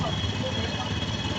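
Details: Honda Scoopy-i scooter after drive belt replacement; idling with fast uneven knocking under engine hum, sounded like a broken connecting rod but came from a damaged CVT front pulley set, not the crank: CVT front pulley knock.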